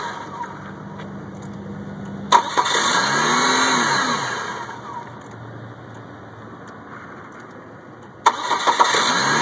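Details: 1998 Chevy Cavalier that only starts in hot, sunny weather: starter cranks steadily for several seconds, pauses, cranks again, never catching; cranks but will not start.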